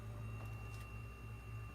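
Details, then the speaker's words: Haier 10.1 camper fridge that wasn't cooling and only clicked, after repair and just plugged in: steady low hum with faint even tone and no clicking; compressor now running normally like a fridge. "that's a lot more noise than it made before it would just click before it sounds like a fridge now"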